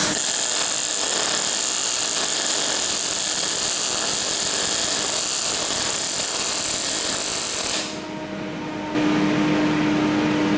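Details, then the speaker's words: Parweld XTM211Di multi-process inverter in MIG mode, after voltage turned down from too high: steady, even frying sizzle with no sharp pops for about eight seconds, then the arc stops; next to no spatter, smooth arc. "Next to no spatter at all. The controllability is really, really good on this welder."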